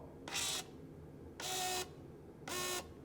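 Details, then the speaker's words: 2011 BMW E92 M3, rebuilt S65 V8: transmission oil pump fed 12 V directly after ISTA showed running while it seemed not to; three short clean whirring bursts with steady hum; pump works, owner suspects ISTA. "It's running. So, maybe my ISTA is not good. So, the pump is good."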